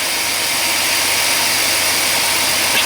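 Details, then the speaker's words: GM 4.3 L V6 Safari/Astro van after ignition coil replacement, start with slightly low battery: steady even hum with no misses or stumbles; idles smoothly, earlier stutter gone. "oh my god listen to listen to just how smooth that sounds holy smokes i should have done this a while ago wow that is smooth"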